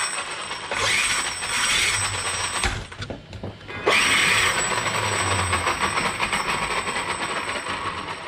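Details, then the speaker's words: Arrma Kraton 8S: rough, uneven ratchety buzz as the motor loads and drops out; all gears are fine, and the owner suspects a loose armature or internal damage in the brushless motor; suspected damaged motor sensor. "i'm really starting to think it's inside this motor you're saying when the armature or something comes loose that it could uh it could literally make that noise because all the gears are fine"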